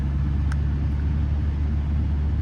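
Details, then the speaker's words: 1993 Ford Crown Victoria with 48k miles, at auction, possible low oil pressure concern: steady, even low rumble at idle with no knocks, ticks or misses; runs and sounds reasonably good, no check engine light. "And sounds good. Okay, not the greatest, but not too bad either."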